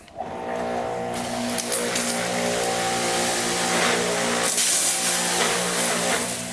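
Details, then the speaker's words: Greenworks 1700 PSI electric pressure washer reading about 950 psi: steady motor drone with a harsh hissing rush, much louder than expected; this unit is noticeably noisy. "this one's got all the noise"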